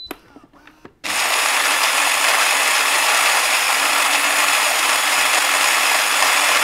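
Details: Philips LatteGo espresso machine making another cappuccino during diagnostics. After a short pause, a steady, even, high-pitched grinding whir with no catches or knocks; the grinder runs smoothly, normal operation.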